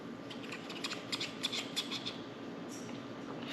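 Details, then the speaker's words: 1Zpresso K-Plus hand grinder grinding 10 g for Turkish coffee near setting 5: crunch with sharp high chirps as burrs touch because grind is set too fine. "So then I started opening it up, and when you get to about 5, you kind of still hear it chirp a little bit."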